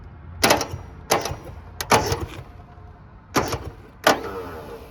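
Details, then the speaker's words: 1970 Subaru Sambar pickup, sitting 40 years, hot-wired with no ignition power: irregular clunky bursts as crusty starter engages then drops out instead of cranking steadily; both cylinders later show compression. "That starter's a little bit crusty. You can hear it engaging and then not engaging."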